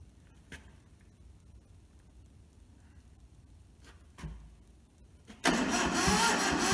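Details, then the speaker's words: Toyota SDK4 skid steer diesel, bought rusted and frozen, fed from a small temporary diesel tank, starter solenoid jumped, ether used. Starter churns evenly but it never fires; no fuel reaching the injectors, so injectors are loosened to bleed. "Let's loosen the injectors and try to bleed it, see what happens."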